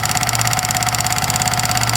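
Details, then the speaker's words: Yamaha MT-15 motorcycle at idle: fast, even light tik-tik ticking over a steady idle, clearly from the engine top end, which tappet setting alone reportedly won't cure; valve-train ticking. "यह मेरे पास company का MT15 bike और अब इस bike के अंदर problem यह है ना कि इंजन से काफी ज्यादा टिक टिक का नोज आ रहा है। और आप लोगों को साउंड सुन आ रहा है।"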